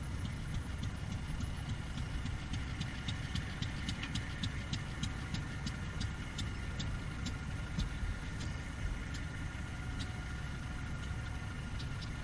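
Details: Fairbanks 208 single-cylinder oil-well engine just started by spinning the flywheel: slow, uneven firing pops that keep faltering, struggling to stay running; suspected not enough gas coming off the well yet, probably fed gasoline.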